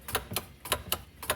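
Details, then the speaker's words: Yamaha golf cart with the seat off, key on and gas pedal pressed: sharp, dry solenoid clicks in quick pairs, about four per second, with nothing turning in forward or reverse; no-start. "it's just clicking you got nothing reverse we got nothing but everything seems to look okay"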